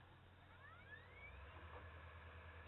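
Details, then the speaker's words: PS4 Pro fan while loading Rocket League: thin whine climbing steadily in pitch and loudness over a few seconds, fan spinning up loud. "can hear it gets gradually louder."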